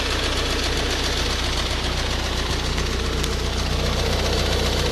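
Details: Ford Focus 1.8 TDCi 115 diesel at idle: sharp even tick two or three times a second over the rumble, louder after about 10 minutes' driving and rattly when driving, engine shaky around 1000-1100 rpm; faulty high-pressure fuel pump.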